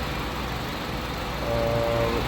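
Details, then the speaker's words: 2008 Nissan Sentra 2.0-litre four-cylinder, hood open: quiet, even idle hum with no knocking or abnormal noises; normal clean idle. "it's running very clean as you can hear no knocking no abnormal noises"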